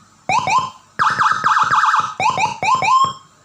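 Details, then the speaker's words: Serviced siren module tested after repair: loud, clean warbling tone sweeping up and down in repeated strong bursts; siren now sounds good and works properly. "Sudah saya beresin, suaranya udah bagus. Sudah lumayan, suaranya bagus. Ini suaranya udah bagus."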